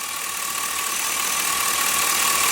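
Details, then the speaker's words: LS-swapped engine after the misfire fix, before warm-up: even, steady idle with no stumble or skipped beats, just a faint whine above it; runs smoothly on all cylinders, power steering may need fluid. "It sounds pretty darn good."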